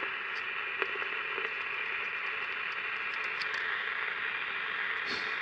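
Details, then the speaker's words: Candle pocket radio on battery, before repair: steady crackly hiss with scattered ticks and no station received; the amplifier works, and the oscillator is suspected of not oscillating properly or at all. "So usually you know, we know the amplifier's working and I can hear the the hiss, right? Usually when you hear that hiss means that uh a lot of times, anyway, that the oscillator is not oscillating the way it should be or at all."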